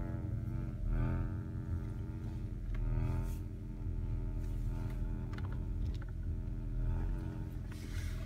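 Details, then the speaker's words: 2005 Acura RL: a low steady buzz or rattle from the right front passenger-side speaker panel. It is silent in park, buzzes in reverse or creeping in drive at about 10 mph, and goes away around 15 mph. "there's a buzzing sound coming from the right front speaker here so when it's in park I don't hear anything but as soon as I put it in reverse see what happens if I move a little bit"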